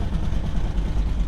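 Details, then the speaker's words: 1975 square-body dump truck V8 idling: deep, lumpy idle with a ragged puffing edge in the exhaust beat, heard immediately as leaking exhaust manifold gaskets. "Holy cow, these exhaust manifold gaskets, I already hear that."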